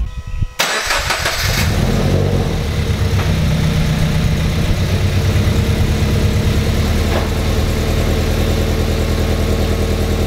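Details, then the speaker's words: 2014 Subaru BRZ after checking and tightening all exhaust bolts and fitting a new header bolt to fix an exhaust leak that caused popping: starts and settles into loud, deep steady idle, no popping. "super-loud so that's because my exhaustion is amazing"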